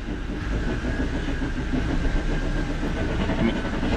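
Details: 2010 Jeep Wrangler on jack stands, in gear: steady rhythmic train-like whir with faint clack-clack from rear drivetrain, silent when not engaged; rear diff gears show no metal, no driveshaft play, owner suspects bearings; cause unknown.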